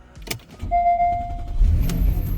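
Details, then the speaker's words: Porsche Panamera S, which had failed to start because it was nearly out of fuel; after adding a gallon, brief starter whir then catches and settles into low, even rumble; clean start. "oh there we go look at that just gas it was just out of gas come on that's all it was"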